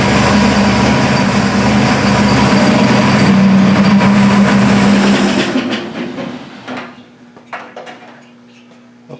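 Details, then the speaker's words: Burnt Buick previously knocking despite 42 psi oil pressure; after valve covers refitted with gaskets and oil topped off, smooth steady idle with no ticking or knocking; knock blamed on a loose valve cover hitting a rocker. "folks that sounds better I think it was the loose valve cover it was hitting a rocker"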